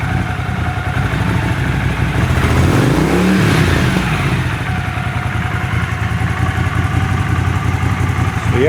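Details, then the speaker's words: Honda CX500 twin, warm, first start after carb clean/rebuild and bench sync, idle screw set to about 1000 rpm: steady even idle, no stumbling or hunting; earlier need for choke and warm white smoke now gone. "so previously i could not get it to idle without the choke on and when it got warm it would skew a ton of white smoke so both those problems seem to be gone now"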